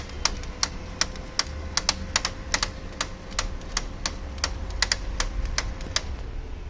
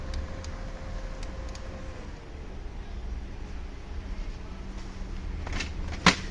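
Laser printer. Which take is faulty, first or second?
first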